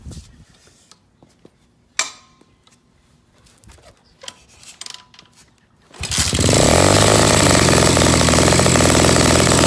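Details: Project pit bike, first start after carburetor work and a new fuel filter, choke on to run richer: a few handling clicks, then the little single fires and holds a fast, steady, buzzy high idle on choke.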